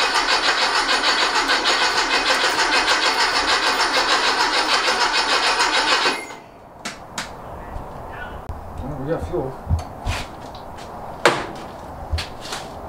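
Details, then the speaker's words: Rebuilt 1835cc air-cooled engine for a bus, first start after rebuild, good oil pressure and fuel confirmed: six seconds of steady cranking about three turns a second, never catches; no spark, electronic ignition module in question. "Wonder if we have sparkage. No spark. Did you say no spark? No spark. All right. So that would explain why."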